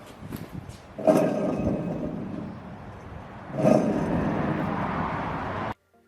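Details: Rear wheel bearing hub on a 2007 Honda Accord Euro, spun by hand twice with the caliper bracket removed: rough, gritty rumble fading as the wheel slows, from a worn wheel bearing.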